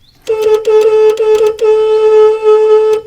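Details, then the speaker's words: Honda Civic EF horn, possibly non-standard, from an MC2: thin, reedy single-note toots then a longer blast with no punch; not the connection, the horn unit itself is weak and will be unbolted (12 mm). "well it's certainly working it's a weak sauce so I need to kind of a look at under the bonnet and see if I can figure out why it's sounds so horrible"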